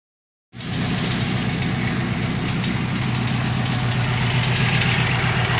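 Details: 2005 Subaru WRX idling warm, with a steady light knock about four a second that appears once the engine warms up, at first suspected rod knock; it was a loose catalytic converter rattling in the up pipe, fixed with an aftermarket catless up pipe.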